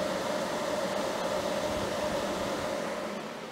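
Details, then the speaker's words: Anenji 48V hybrid solar inverter (6.2 kW max output), mic placed next to it while under household load including an audible kettle: an even, airy fan rush with a faint steady hum and no rattles or rubbing. Normal cooling fan noise, similar to an EASUN inverter. "So I'd say it's equivalent to the noise that I've got on for the EASUN. But that's just to give you a little idea of what it sounds like."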